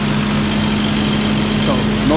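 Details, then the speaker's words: 1990 Toyota Pickup after replacing a clogged, dirty idle air control valve with a junkyard one: steady, even idle with no stumble, hesitation, pops or backfire; engine now smooth and settled. "I put that one from the junkyard and ever since I did that is running better a lot better"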